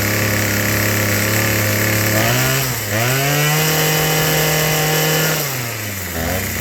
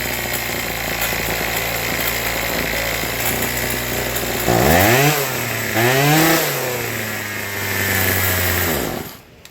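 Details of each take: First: Troy-Bilt TB2044XP JumpStart two-cycle trimmer, before service, likely never serviced: buzz keeps surging and sagging instead of holding idle; dirty carburetor needing cleaning and tuning, later serviced with carb cleaning and new fuel lines. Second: Troy-Bilt TB2044XP two-stroke trimmer, warm, after carburetor cleaning, new fuel lines and tuning for an idle problem: steady high idle, revs up and down cleanly three times, then shuts off; running normally.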